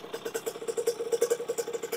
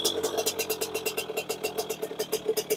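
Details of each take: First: 2001 KTM 50SX two-stroke, upgraded carb with air filter intake refitted: crisp quick rev blips, clean steady buzz, no bogging or stumbling, not smoking; running better than ever. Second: 2001 KTM 50SX two-stroke with upgraded aftermarket carb, warming up: lumpy uneven burbling idle then blurry high revs; still running rich, so needle to be moved from position three to one.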